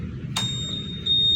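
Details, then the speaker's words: Honda Scoopy smart key (keyless) remote, after re-enabling the answer-back sound with quick presses of the speaker-and-motor button until its light blinks: a short sharp click, then a steady high beep that steps up briefly; the answer-back beep is on. "Nah kalau kedip-kedip ini berarti tanda bunyinya dia nyala teman-teman nih"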